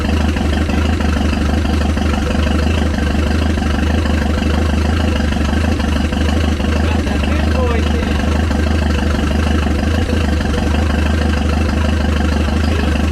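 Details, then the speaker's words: Chrysler LeBaron in garage, warm, after correcting distributor installed 180 degrees off, bigger battery: starts better, loud lumpy deep idle at a steady beat with open exhaust roar and some smoke, no misses or knocks; normal idle. "definitely not mad about that it started a lot better that time"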